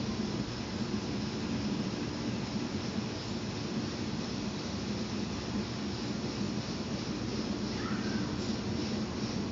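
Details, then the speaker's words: LPG diffusion-type stove run in emergency on liquid fuel pressurized from the fuel bottle, fuel valve opened up: steady, even hiss without sputtering or pulsing; burner running normally. "You can audibly hear the hissing, which is typical for these diffusing type burners."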